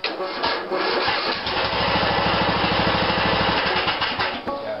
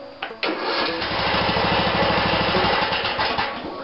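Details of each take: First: 16.5 HP Briggs & Stratton mower engine after dry starter was taken apart and put back together: brief cranking catches quickly into an even steady single-cylinder beat; normal start. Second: 16.5 HP Briggs & Stratton mower engine after starter taken apart and found dry: sluggish even cranking about 2.5 beats a second, not catching, hangs at compression point; owner unsure if it has compression release; slow cranking.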